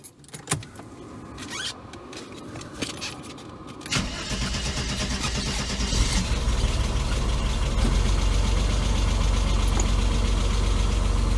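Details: 1992 Mercedes 300E W124 M103 first start after head gasket install and camshaft timing-mark realignment: brief cranking, then a smooth, steady idle with no ticking or misfire; AC compressor, possibly original, sounds slightly wobbly.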